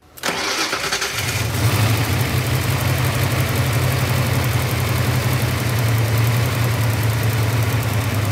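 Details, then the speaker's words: Car with brand new spark plugs, misfire diagnosis: cranks and catches into an uneven, loping idle with a recurring stumble as one cylinder skips; plug wire sparks, owner suspects the number seven injector rather than a badly damaged valve. "for a car to be skipping this bad on one cylinder the valve's pretty much just got to be completely jacked"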